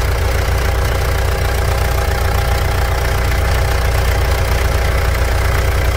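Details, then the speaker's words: Mitsubishi Pajero Dakar 3.2 diesel after valve adjustment and new timing chain tensor, warming up: steady even idle with smooth low rumble, no ticking or knocking; healthy after repair. "T dizendo o seguinte após a regulagem de válvulas e o tensor da corrente novo o motor tá numa MZ de funcionamento vai lá"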